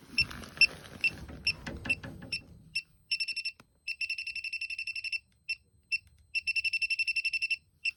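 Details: Elitech WJL-6000 refrigerant leak detector at a known leak site: high, piercing beeps in fast bursts of about a dozen, repeating on and off; owner unsure if leftover soap residue is triggering it. Leak detector alarm.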